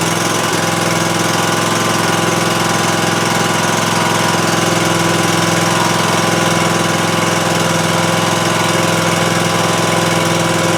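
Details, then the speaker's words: Cub Cadet Ultima ZT2 zero-turn mower after new fuel pump and aftermarket carburetor, running outdoors: steady but uneven lumpy beat about three pulses a second, no longer smoking; fuel flow fixed, owner suspects the aftermarket carburetor. "Well, that is way better than it was. It doesn't sound great to me. I don't know if it's maybe that aftermarket carburetor is just not doing a great job, but looks like our fuel flow problem is resolved with the new pump."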